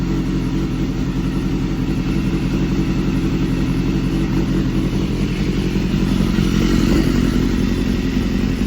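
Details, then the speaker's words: Crashed BMW S1000RR being rebuilt, after sitting long and struggling to start: once old fuel worked out, steady even four-cylinder idle with smooth low hum, no misses or knocks; running properly. "I guess I just had to work all that fuel out, and now she's running way, way better."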